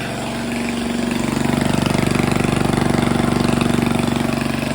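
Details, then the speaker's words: Grandfather's 1978 3hp Briggs and Stratton compressor engine after broken pulley repair and tune-up, started on fifth pull on full choke then choke eased, unloaded with pressure released: even, steady single-cylinder beat, about four pulses a second, no knocks or misses; normal running. "all right so there she is running uh started on the fifth pull full choke uh slightly eased off the choke and there she goes"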